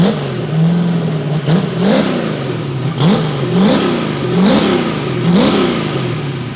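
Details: Bibbster hot rod V8 catches on first fire-up after finishing the cooling system. The tune was richened to cure a slight idle surge and now runs fat; the cold-start setup may need changing. Quick blips return cleanly to a rich, lumpy idle with no surging: normal running.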